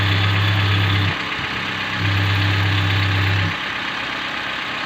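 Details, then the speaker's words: 2017 Toyota Avanza Grand New whose engine oil looked clear like cooking oil, started to check oil circulation; steady, even low hum at smooth idle, no ticking or knocking: normal idle. "Kita coba starter. Kita cek sirkulasi oli. Masih bagus atau tidak. Kita hidupkan cahaya pengisi guys. Oh bagus ini, bagus."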